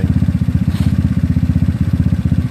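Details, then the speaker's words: GY6 scooter with OKO PWK 30mm carburetor during mixture tuning: quick, even pulses at a steady low idle, engine calmed down with no hunting or misses; normal idle. "oh you hear the engine actually kind of calm me down at all which is a good thing actually we want to idle down like that very good"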